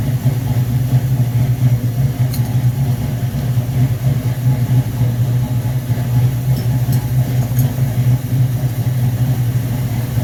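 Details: V8 on first start after rebuilt Rochester Quadrajet 7029202 from a 1969 Corvette, bowl damaged by ethanol fuel and cleaned: smooth even rumble, steady beat, no misses, knocks or hunting; normal idle.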